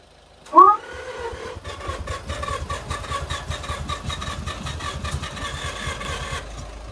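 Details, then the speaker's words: Neglected project car rescued from scrapyard, fuel pump on, half tank of possibly old fuel: starter churns at a steady beat with one compression pop but never catches; crank no start, crank position sensor suspected. "Did you hear the compression pop? It's firing."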